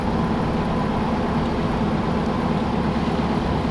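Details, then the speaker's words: 1932 Ford Roadster, four-cylinder, about 14,000 miles, idling at a stoplight during a test drive: a steady, even low rumble with no knocks or ticks, unusually quiet. Normal idle. "very quiet this is unusual that we can have a conversation at a stoplight I'm screaming at you normally"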